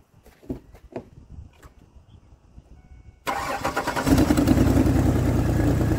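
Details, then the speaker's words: 2003 Ford Explorer petrol engine that failed inspection with a misfire, after swapping in a used spare ignition coil: a few clicks, a brief crank, then it catches and settles into a fairly even run, smoother than before. "it's running smoother than it was and once I once I put some pressure on it goes right out I like it so right"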